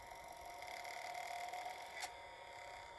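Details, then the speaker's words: Vintage PlayStation 1 during restoration, disc drive spins with a thin whine, sharp click near two seconds, then quieter running; the drive spins up but fails to read the disc. "nope and this one doesn't work either okay i don't know so we'll get back to you guys if we if we fix the problems at each one of these consoles"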